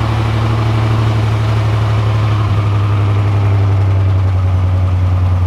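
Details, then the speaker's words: 1987 Buick Grand National, sat over 10 years, after a new tank, fuel pump and lines, still stinking of old gas: low, heavy idle pulsing unevenly and threatening to stall, a rough, unhappy idle. Owner suspects a vacuum leak, not confirmed. "Doesn't sound too healthy. Oh, it's gonna stall. Stinks like old gas still. It's not happy about something, so that's kind of unfortunate."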